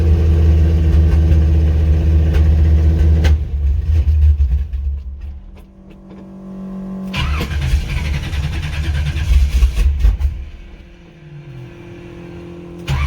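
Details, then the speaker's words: 1985 Chevrolet C10, stock short-block 350 with ZZ4 heads and cam, 700R4, long-tube headers, worn Holley 750 double pumper, cold: V8 rumbles then sags and nearly dies on throttle before catching; off-idle stumble, jetting suspected. "it's always got that stumbling i'm sure that stumble has a little bit to do with the jet and also but it shouldn't be this bad"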